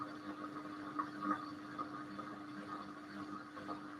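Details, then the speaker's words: Simpson Esprit 550 washer (mechanically identical to a Kelvinator, serviced after a minor spin fault): machine emptied, quiet steady pump hum with soft gurgling and sucking surges as tub runs dry; normal drain pump oscillation typical of Simpsons. "All right, so the machine's emptied. And you'll hear the pump start doing that weird sucky thing it does."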